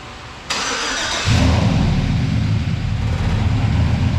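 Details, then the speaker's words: 2008 Chevrolet Silverado high-mileage V8 after AMS Racing AFM/DOD delete kit to fix a lifter tick, fresh 10W-30 oil: brief crank, catches and settles to smooth steady idle with no top-end lifter tick; normal idle. "I don't hear any lifter tick or nothing like that for me to think that it's just low on oil."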